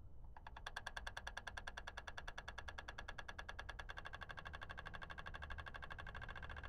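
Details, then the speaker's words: GM 3.6 LLT with EVAP code P0442, new purge valve solenoid commanded with an XTOOL D8 after the old one was confirmed faulty: steady, crisp ticking about 2.5 per second, much less clicky than the old valve; normal. "that sounds hey that sounds quite different that it's not as clicky the other one was clicking much louder than this"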